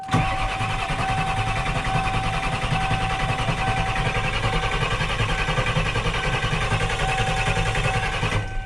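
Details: 1994 Ford F250 7.3 IDI diesel, straight pipe, with a newly installed turbo, CAT injection pump and 4-speed transmission, cold start without glow plugs at about 80°F in humid air, fired on the 3rd crank; hard even clatter with steady turbo whistle settling to a smooth idle.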